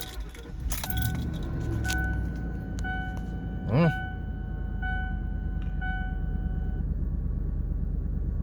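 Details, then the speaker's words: Ford Explorer (5R55S transmission) after repairing rodent-chewed coil wires that caused hard vibration and misfires: engine starts, catches and settles into a steady, even idle with no stumbles; running pretty good, seems fixed. "so far seems to be running pretty good i think i fixed it"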